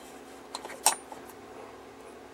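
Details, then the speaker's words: Vintage TV powered back on: a few sharp, irregular pops, with the ammeter needle swinging at each pop. The intermittent electrical popping's source is not located, top side or underneath. "the needle on my uh am meter is going like this whenever you hear that"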